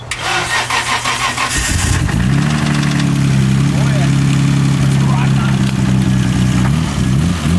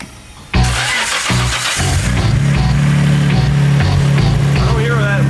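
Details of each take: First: Nissan R32 Skyline GTR, not started in months and due for a rebuild after engine trouble: cranks and catches into a lumpy idle with a dull, uneven knock underneath on cold start; suspected rod knock, caught early. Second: Nissan R32 Skyline GTR, first start after a blown engine was replaced with another engine in 48 hours. A brief crank catches cleanly into a steady, even idle under music: normal start-up and idle.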